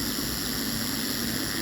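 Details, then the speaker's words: Amplifier driven with a 50 Hz test tone, laptop volume raised to 46: harsh, constant fizzy crackle over the low tone, clean at 45 and below; amplifier clipping distortion. "46 प आते ही केर केर की आवाज आनी शुरू हो जाती है"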